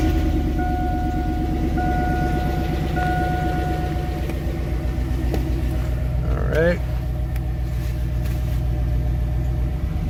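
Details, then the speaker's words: 2002 Chevy Avalanche with a swapped V8 after first start and reassembly: a deep, steady, even idle with no squeak or tick. The earlier squeak is gone, likely because oil has now reached the lifters. "got rid of that weird noise that squeak I was talking about that you heard earlier"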